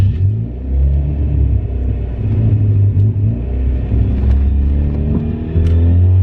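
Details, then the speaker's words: Turbo Mazda Miata, manual: deep engine rumble rising and falling with revs, with a faint rattly whir underneath only with the clutch pedal down (disengaged). The noise's cause is unknown. "the clutch is making some weird noises I don't know what's going on but it's a little nerve-wracking it's only when the clutch is not engaged"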